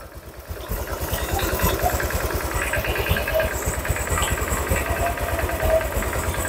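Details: Honda Vario 150 scooter engine reassembled after overheating, fast coolant loss, oil loss and rough running; idling while warming until thermostat opens and coolant circulates, checking for leaks. Steady even idle, soft regular thump, no knocks or rattles; normal idle.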